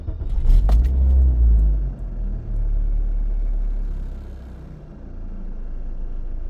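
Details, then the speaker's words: 2003 Toyota Corolla start after cleaning mass airflow sensor with 70% alcohol: short crank, catches quickly and settles into low, steady idle with no misses; problem later returned, bad No. 3 ignition coil replaced. "that's what it's supposed to do guys"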